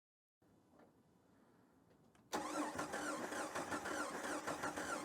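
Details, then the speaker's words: 2003 Jeep Wrangler TJ project with rust throughout, including the engine: brisk, even starter cranking with no firing, so it cranks but won't start. Spark is confirmed at the plug, and fuel delivery and the injectors are next to be checked. "Yeah. Well, we have spark. Now, we need to confirm that we're getting fuel."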